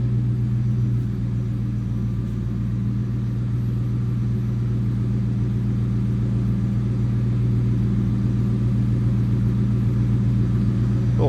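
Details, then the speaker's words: 1996 Ford Mustang GT convertible, 4.6 (281 cu in) V8, 149,312 miles: low even idle rumble, steady with no misses, knocks or ticks; healthy V8 idling smoothly. "little rumble coming out of that 4.6. 281 cubic inches."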